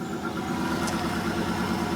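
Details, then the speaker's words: 1995 Formula with 1994 LT1 V8, cold morning start, misfire with no codes despite new Opti, ICM, coil, fuel pump, plugs and wires: under light throttle it pulls steady with no stumble; smooth light-throttle running, stumbles beyond quarter pedal. "Goes good with a little bit of gas."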